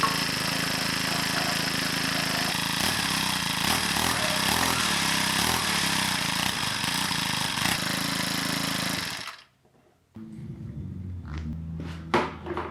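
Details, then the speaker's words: Small engine with primer bulb, not winterized, first start after winter, full throttle: steady high buzz, stops and briefly restarts; smooth even running, healthy. "Well, we're 2 for 2 so far. This thing starts so easy every season."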